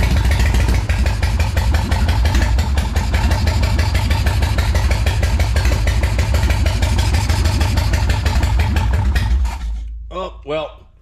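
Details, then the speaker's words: Custom motorcycle with big-inch S&S Evolution-style V-twin, parked for 20 years, first revival start with choke: loud, steady, lumpy V-twin beat at idle with even firing, then shutoff; engine running normally. "she started I got to hear it again"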